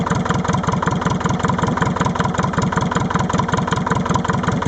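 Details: Leyland 154 tractor with Leyland 15D engine at cold start: steady chugging idle at about 158 beats a minute with a lumpy pulse, like one cylinder misfiring when first fired up: cold start misfire.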